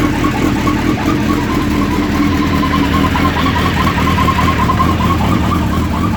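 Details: Suzuki Hayabusa idling from completely cold: steady fixed-pitch whir over the idle, same at any temperature per owner; cause not yet known.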